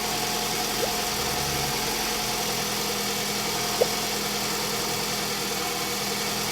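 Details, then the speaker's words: 2004 Toyota RAV4 after thermostat replacement and cold coolant fill: engine idling with heater on high while the cooling system purges air, warming up; quiet, steady low hum under blower hiss, no misses or tapping, a normal idle. "engine is running we just have it idling heater is on high and we are just going to let this thing purge itself"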